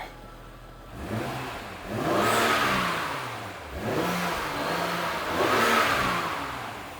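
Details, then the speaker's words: BMW X1 back in the shop, found to have a bad spark plug, engine revved after the fix. A clean rise and fall on two throttle blips, smooth and even with no stumble or miss; running healthy. "Well, I guess it's not really the moment of truth. Give her a couple revs."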